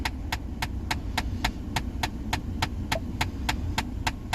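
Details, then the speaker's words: 2014 Ford Explorer: steady sharp clicking about 3.5 times a second from behind the dash when switching HVAC vent modes with the key on. The mode blend door actuator's case had split, letting its internal gears skip; fix is replacing the actuator. "See if I can't get that clicking sound to happen. There it goes. Yep. See, every time you switch to different settings, it'll starts to clicking."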